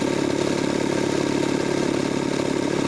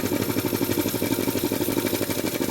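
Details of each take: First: Jenny air compressor with faulty pilot valve, run in stop-start mode, reaching 125 psi: steady drone with high hiss cuts out abruptly near seven seconds as the pressure switch trips normally. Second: Jenny K-style pump 2 hp air compressor at about 50 psi trying to unload: rapid machine-gun stutter, about ten pulses a second, over the running pump; debris from oil backflow clogging the pilot valve filters prevents head unloading, short cycling, failed pilot valve.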